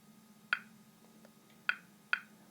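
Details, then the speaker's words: 1957 RM-2 geological survey radiometer in excellent condition, just switched on: sharp isolated loud clicks at random intervals over quiet hum, normal background rate of 15 to 30 clicks per minute; normal background radiation clicks. "При обычном фоне частота импульсов составляет от 15 до 30 щелчков в минуту. Звук очень хороший, громкий, его отлично слышно, в том числе на шумной улице и даже когда прибор находится в кармане."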